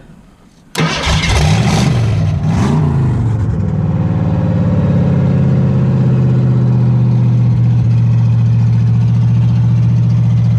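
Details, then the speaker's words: Ford 302 V8 for a 1959 Ranch Wagon, just fitted with factory shorty headers, started by grounding two contacts across each other: quick crank catches immediately, revs flare, settles into steady even idle, no knocks or misses; normal start and idle. "it runs oh that's all we needed to do and hear it run"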